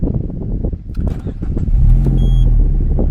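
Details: Peugeot 206 GTI 180 petrol at 107,000 miles, just started with what is believed to be an anti-pollution fault warning showing. After some rustling it settles into a low, steady idle rumble with no knocks or misses. Normal idle.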